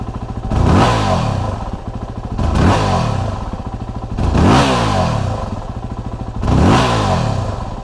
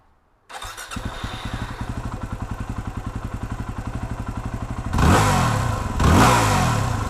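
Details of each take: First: 2008 Yamaha WR250R single-cylinder, engine warmed up: idle, then four hard throttle snaps each bog about half to one second before rpm climbs; low fuel pressure blamed, fixed by replacing fuel pump and fuel pressure regulator. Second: 2008 Yamaha WR250R single-cylinder fires up, idles evenly, takes two quick throttle blips without bogging after fuel pump and pressure regulator replacement to fix low-fuel-pressure bog off idle; still not fast off idle.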